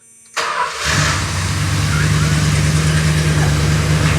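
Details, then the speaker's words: 1971 Chrysler New Yorker 440, parked 20+ years, after a spark plug was reinstalled; quick crank, then steady even low rumble at idle, no misses or knocks; runs like new, just needs timing set. "Runs perfectly. >> Absolutely. >> All you got TO DO IS TIME IT AND IT RUNS GOOD."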